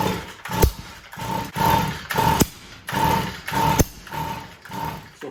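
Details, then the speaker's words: Stihl MM55 Yard Boss (same power head as KM55 and FS55), won't start: each pull gives a ragged rasp with sharp backfire pops instead of catching; caused by a failed ignition coil, fixed by replacing it. "So this engine actually won't start, and the issue that it is having is that when trying to start it, it backfires."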